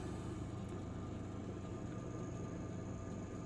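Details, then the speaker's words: Oster convection toaster oven, about six years old, whose fan was noisy, after lubricating it with high-heat synthetic firearms lubricant: a steady, smooth low hum with a faint constant tone and no scraping. The fan now runs quietly and normally. "wow that is nice and quiet nice so maybe I'll get another six years out of this unit"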